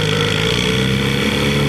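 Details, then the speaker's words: 1968 Johnson 6 hp two-stroke outboard cruising on a pond, likely unrun about 15 years, speed adjustment turned in so it leaned out better: smooth steady even buzz, no stumbling, running well. "I mean, it probably hasn't run in 15 years or so, at least. So I think it's doing pretty good considering that."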